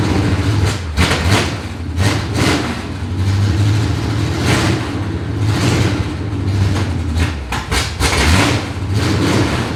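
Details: 1970 Chevy C10 V8, abandoned about 10 years and now running and driving: deep, ragged, very loud rumble with uneven pulses at idle because no exhaust system is fitted.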